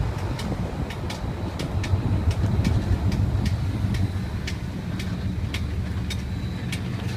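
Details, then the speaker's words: 2003 Dodge Dakota quad cab 4x4 driving: sharp, light clicks about three a second over low road rumble; tie rods, ball joints, steering shaft replaced and CV axles checked, source not found. "just trying to figure out the clicking noise uh it's been going on for a while"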